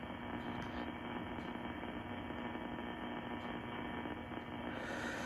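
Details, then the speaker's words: Steady buzzing hum under hiss in ham radio receiver audio with a very short antenna connected directly to the radio; interference from an Astron switching power supply, whose adjustment control probably shifts the switching frequency and moves the noise lines. "so probably this control adjusts the switching frequency and thus you can kind of move things around"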